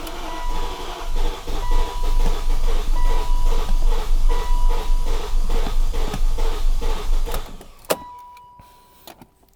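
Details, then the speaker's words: 2001 BMW E38 740iL, old fuel that smells like bad gas: rhythmic surging churn about two pulses a second, then fades and quits; catches briefly and stalls, owner suspects a fuel-delivery problem, unconfirmed. "I guarantee you it's a fuel problem that's why it's choking and dying right away because there's just no fuel going into it"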